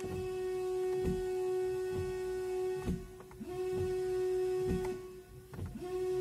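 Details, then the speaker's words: Opel Vectra C windshield washer pump: steady electric hum near 350 Hz, power reaching the pump but no fluid delivered; foul-smelling reservoir clogged with algae from chlorinated well water, fixed by cleaning it. "a la bomba le está llegando electricidad pero la bomba no bomba fijaros el ruido"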